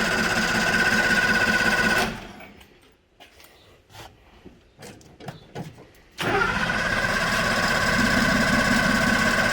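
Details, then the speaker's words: Suzuki LJ50 two-stroke, long parked on a farm, first start: buzzy running that cuts out for about four seconds, then fires back up unevenly. It runs rough and needs a tune-up. "So yep, it does run. It obviously needs a bit of a tune up, but it has been sitting around for, I assume, a very long time."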